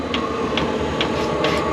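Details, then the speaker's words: Chinese diesel heater on its first run: a steady soft tick about twice a second over a constant fan roar, getting louder as it heats up. Normal fuel pump ticking. "I'll show you what it looks like once I get it installed but it's heating up you can hear it ticking up getting louder"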